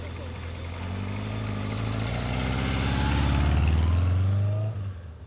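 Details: Newly restored 1983 Kawasaki KZ750 Spectre four-cylinder, after carburetor work, on a ride-by: smooth even drone swelling and fading, no misses or knocks; running healthy and strong.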